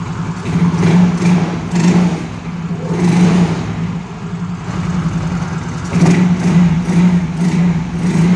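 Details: Yamaha Mio Soul GT scooter that starts but dies when throttled, with no MIL code. After the packing was replaced, repeated throttle blips rise and fall cleanly over a steady idle with no stumbling.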